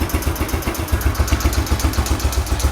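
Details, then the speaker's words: Yamaha YBR125 four-stroke single at idle: the exhaust pulses in the same rhythm as the air suction valve, which closes once per four strokes on intake vacuum. Quick regular thumps with no misses or rattles; normal. "इसलिए आपको ये महसूस हो रहा है कि इसमें ये एक पल्सेशन है। वही पल्सेशन, सेम रिदम की पल्सेशन आपको एग्जॉस्ट में मिलेगी,"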